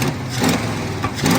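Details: 1970 Ford pickup engine revved with a rag over the carburetor intake (vacuum trick to clear dirt). Uneven surging revs with a hollow, choked intake sound and bogging: carburetor suspected plugged/gummed up, not confirmed, runs better afterward.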